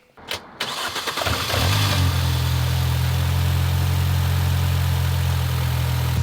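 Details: 2005 Mini Cooper 1.6 after a clutch replacement: brief cranking, a clean catch, and a firm, steady idle with no odd noises; it smoked afterwards, most likely leftover oil burning off the exhaust.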